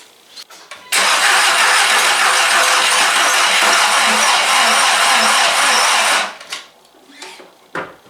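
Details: VW MK4 Golf project, sat in a corner almost a year, first start attempt after reassembly; starter spins with a steady whirring for about five seconds but the engine never catches, battery too low to crank it properly.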